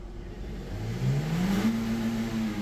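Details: 2015 Toyota Corolla Grande 1.8 petrol, 149,000 km, after full tuning and clearing an ignition coil 1 code: engine revs up smoothly and evenly, climbing in pitch without misfire or stumble; normal revving.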